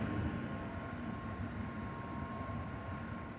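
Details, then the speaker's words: Zotac RTX 4090 AMP Edition graphics card fans at about 50 to 60 percent, phone right up against the card: steady even airy whoosh with faint constant tone on top, no rattle or ticking; fans running normally. "my computer's under the desk so it's not really much of a bother the noise but again it really doesn't ever go above like 30 um 30 percent so the fans you don't really hear them moving at all"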